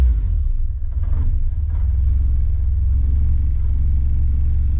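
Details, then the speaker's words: 1968 Renault 8 with freshly swapped 1397cc C2J engine, points ignition, Renault 8S carb, tubular manifold and custom exhaust, first run: deep, even low rumble with no knocks or misses, holding steady; runs smooth and healthy. "not sure how much you can hear sounds good to me yeah CH very very CH you don't need a good below eight yeah I'm happy with that"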